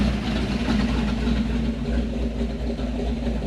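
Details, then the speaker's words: Small-block V8 Malibu after new top end, rockers not yet adjusted: steady, deep, even idle burble with some valve noise, good oil pressure above 40, temperature coming down. "Sounds good, runs good, idles good, good oil pressure still."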